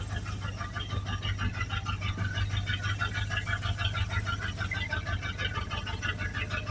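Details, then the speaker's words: 1982 Dodge Ramcharger, just revived: loud, steady knock repeating evenly over rough running, from a badly torn rod bearing. "man you can hear that thing wrapping really loud well he really did tear rod bearing up but I'm just amazed it runs"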